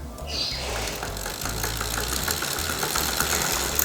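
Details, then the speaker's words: Simple bicycle freewheel with plain ball bearings and no seal, heard from right side under pedal pressure: quick uneven dry ticks with noticeable vibration; rough, loose freewheel ticking under load, bearing suspected. "dan ketika berbunyi itu lumayan Getaran terasa seperti itu kurang lebih terdengar tem-teman kita ulangi lagi"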